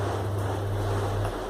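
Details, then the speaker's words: Split air conditioner blower wheel (turbina) spun on a balancing jig by its small motor on 220 V with a 2.5 µF capacitor: low, steady droning hum with a shaky rumble. Wheel trembles before balancing. "ahora vamos a probar el balanceo primero la probamos así en bruto está temblando O sea que hay que"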